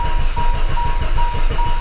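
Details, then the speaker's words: Used car for sale, first start attempt: slow, labouring cranking with heavy low thumps before it finally fires; hard starting taken as sign of big problems, cause unclear. "ah hard starter pretty good indication that this vehicle has some kind of big problems right"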